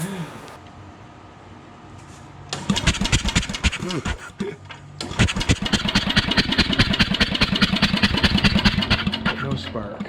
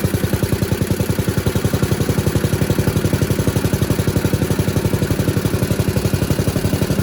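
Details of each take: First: 1977 MTD 990 16 hp Dayton-badged riding tractor with a no-start problem, after setting a 12 thou gap: starter cranks steadily at about 2.5 turns a second with no firing; cause not yet found. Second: 1977 MTD 990 (badged Dayton, 16 hp) riding mower after electrical no-start repair, running while battery reads 13 V, up from 12, showing it charges: steady, even beat of about four pulses a second, no knocks or misses; normal.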